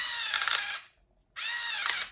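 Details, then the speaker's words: Automatic hair twister with lever pushed up, twist as tight as it can get: two short bursts of fast, bright ratcheting clicks as the slip clutch lets go at full twist; normal. "Now, once it gets tight as it can get, you'll hear it making that noise."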